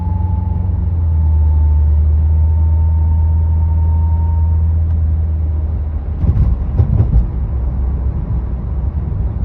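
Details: Pontiac G8 GT (Holden VE Commodore): thin high whine faintly over heavy road rumble from 30 into the 40s mph, also on deceleration off the gas; seems to come from back of engine or near transmission.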